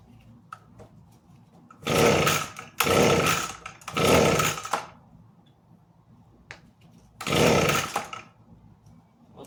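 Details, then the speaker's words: Echo ES-250 leaf blower fires briefly but won't keep running: each pull catches about a second of ragged two-stroke buzz then dies; cause was the safety interlock switch not being depressed. "So, from what I could hear after it died when I was pulling the cord, it seemed like it was trying to run. As in, you could almost hear it trying to, you know, pop off, which tells me the spark, i.e"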